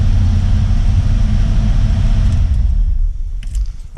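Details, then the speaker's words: Ford F-150 after fuel system parts replaced, before fuel tank, pump and selector valve replacement; fires right up and idles with a deep, even rumble, steady rhythm, no knocks, misses or rattles, runs smooth; normal idle. "That it fires right up. fires right up. Runs great, runs smooth now that we've replaced a lot of that stuff."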